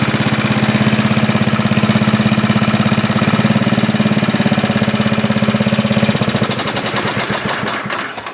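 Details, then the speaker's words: 1939 Onan single-cylinder generator, running after repair at 115 V, then stopped with the kill switch; starts easily, no smoke, good compression, seems low-hours. Even, rapid beat with no flutter, winding down cleanly on shutdown. "That starts up way too easy and it doesn't smoke in the slightest. Good compression."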